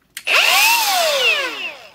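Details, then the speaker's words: Milwaukee M18 Fuel die grinder, reassembled after its coupler was checked: a short trigger pull gives a clean high whine that spins up and winds down smoothly with no rubbing; a healthy run, though rubbing later returned. "that sounds fine with nothing rubbing in there"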